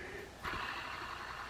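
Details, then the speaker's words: Tackle World/Jigging World micro jigging reel spun in free spool: rough, breathy burring instead of a smooth whir, suspected worn spool bearings; hybrid ceramic bearing upgrade considered for saltwater use. "When I hear this, it's almost always telling me that there's bad bearings in there. And you can hear it when we go in free spool."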